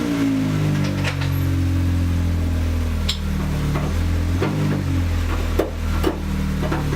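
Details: 9th gen after an exhaust leak repair with bolts, gasket and sealant at the muffler joint, plus an oil change: engine revs rise and fall smoothly, steady drone, no chuffing or ticking from the exhaust.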